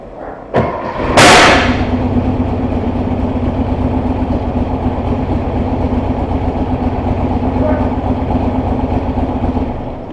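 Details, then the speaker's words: 1968 Porsche 912 1600 flat-four, before tuning, spitting and popping through the carb and down on power: loud pop on start-up then lumpy idle with irregular stumbles; misfire. "I hope whatever the hell that was is on camera because like I said she runs makes makes noise idols just explodes"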